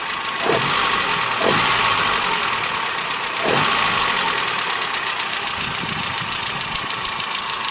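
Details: 1984 Nissan N12 1.5GL, after carburetor repair, a new vacuum advance hose and new spark plugs: fast, fairly even light ticking over a steady idle; valve clatter, with the valves thought to need adjustment.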